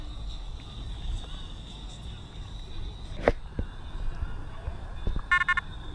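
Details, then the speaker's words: Detector Pro Headhunter Pirate, not made for saltwater, in saltwater with discrimination at zero; a faint steady high tone with scattered crackles and bursts of rapid beeps once the detector is moved; saltwater chatter. "all right so as you guys can tell it's not immediately chattering but once you start moving the Machine around it gets chattering"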